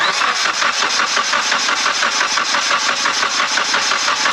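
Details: Mitsubishi Evo X during compression test after turbo failure: even starter cranking at about three pulses a second, every stroke alike, no drag; cylinders reading 110–115, engine likely healthy, turbo blamed.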